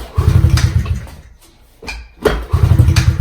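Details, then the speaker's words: Honda CRF50 pit bike kick-started: deep chuffing bursts that fade between kicks; catches briefly once but won't keep running, fuel coming out; owner suspects a carburetor fuel issue, used to start first kick at any temperature. "It sounds like it's gonna go. So it started up there, which kind of was weird, but now it's doing it again. So that was obviously just a fluke."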